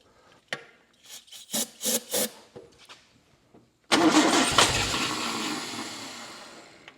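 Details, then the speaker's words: 1960 Triumph TR3 that cranks but won't start after sitting, out of gear, key on, given starting fluid; uneven cranking puffs, catches with a roar and dies within seconds; float bowls found not empty, so not simply the fuel pump. "He said he hit it with a little bit of ether and it would fire and die."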